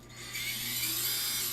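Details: FPV quad brushless motor spun with props off via Betaflight motors tab: steady high airy whine staying smooth, no gritty rasp or wobble; bearing judged good.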